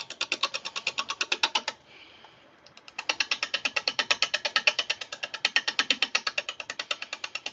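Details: Wood lathe, late-night turning: sharp, uneven clicking about three times a second as the spindle roughing gouge meets an unbalanced, possibly birch blank between centres with tailstock up; the whole blank bounces and runs rough.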